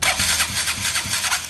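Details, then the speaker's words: KTM Duke 200 that only starts when bump-started: slow, laboured cranking around 400 rpm drawing excessive current (over 200 A) that never catches; starter weak, though a tight engine was also suspected. "Hay un consumo excesivo en el arranque. Puede ser por dos cosas. Por dos cosas. Arranque malo, ¿verdad? O muy ajustado el motor."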